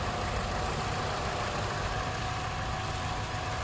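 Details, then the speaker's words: Car with aftermarket coilovers after lubricating both coilovers (WD-40 in the ball joint): steady idle, wheel turning with no more clunking; suspension now quiet, fixed. "So I did this on this side and on that side, and I'm gonna show you it doesn't make any more noises. You guys see it's turning, no more noise,"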